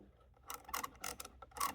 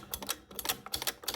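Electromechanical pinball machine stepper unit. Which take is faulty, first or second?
first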